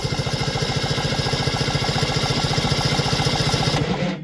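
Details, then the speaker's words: 1973 Ski-Doo 399 twin snowmobile, barn find, cranked on the starter after something was put down the side to free binding, before spark check: even, rhythmic chugging at a steady rate with no hitching or drag; engine turns over freely. "got a nice little Gallop to her don't she"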